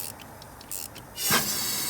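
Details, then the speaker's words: Valve spring swap on a truck engine, cylinder held with air pressure, in gear with e-brake on: quiet, then a sudden steady hiss as the compressor opens the intake valve and the cylinder loses pressure. "okay so it lost pressure so that's an intake valve so i'm going to back it off"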